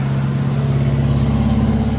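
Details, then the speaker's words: Suzuki Samurai just after installing a Zuks Offroad 15-gallon fuel tank, holding only about a gallon of gas, push-button start. Steady, even low idle with no audible fuel pump whine; it runs smoothly. "only got a gallon of gas in it but right off the bat I cannot hear that fuel pump that's awesome"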